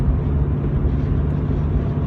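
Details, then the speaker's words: Old car driving at light throttle; it pulls fine at quarter to half throttle but chokes beyond that, owner suspects fuel filter or sensor: smooth even drone under road rumble, no misses, knocks or rattles; engine sounds good here. "I don't know if you can hear it, but it sounds well. The engine's good. It's got to only be something silly, like a filter or a sensor or a something."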